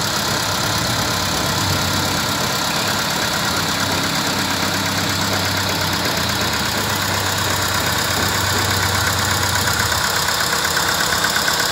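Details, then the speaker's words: VW Vento petrol engine at idle, check-engine light on, idling unevenly with a loping stumble; scan shows misfire codes P3000/P3001, cylinder 1 misfiring, traced to a failing ignition coil. "y en el escaneo nos damos cuenta que eh tiene detectado un fallo de combustión el código p3000 el p3001 que es un fallo de combustión"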